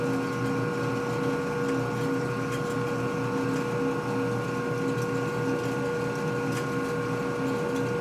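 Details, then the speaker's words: Lathe machining a part during a 1958 Harley-Davidson Panhead 74ci FL top-end rebuild, low RPM with high torque: steady motor tone with an even chunk, chunk of the tool biting about twice a second; normal lathe cut. "Okay, so now we're getting the cutting. I can hear the... Little chunk, chunk, chunk."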